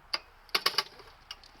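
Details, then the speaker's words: Wheel Horse 704 garden tractor Kohler engine, recoil starter with new starter cup: sharp irregular clicks, a quick cluster of three, during the pull as it skips teeth; owner suspects reshaped rusted flywheel cover holding starter off crankshaft center. "Last time I put the recoil starter on the engine and changed the starter cup, so that should all be good, but the starter skips a tooth almost every time I pull it. That won't work."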